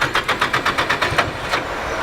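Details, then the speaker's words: Drift car at the track, low oil pressure warning flashing and gauge at zero, no oil on the ground: sharp rhythmic ticking about eight per second over a rough engine, fading as it settles; valvetrain tapping, head sounds dry from no oil pressure. "No oil pressure. Yeah, but It sounded like the head was dried up. Yeah, it sounded like the head was dry."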